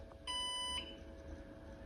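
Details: NAS with four SSDs, one showing degraded or disconnected: single half-second electronic alarm beep over a low fan hum; degraded RAID alarm before drive replacement and rebuild.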